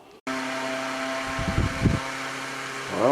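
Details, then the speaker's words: Old yard-sale Kwik Kool oscillating fan the day after rewiring and soldering the cord wires: steady motor hum with a faint whirr, running smoothly and evenly; a little noisy but working fine. "this is the next day and we're getting blown away here it's really blowing really nice and it's working rather well"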